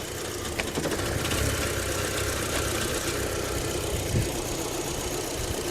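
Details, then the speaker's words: Mk2 Audi TT, high mileage, idling smoothly with no shunting or hunting once the airflow meter is unplugged; plugged back in it hunts, so the airflow sensor is suspected faulty. "runs mint it's not shunting"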